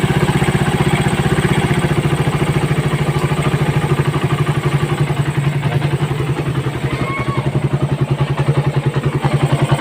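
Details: Raider 150 motorcycle idling after timing chain replacement: even steady putter, no ticking or rattle; timing chain noise that was loud when revved before is gone.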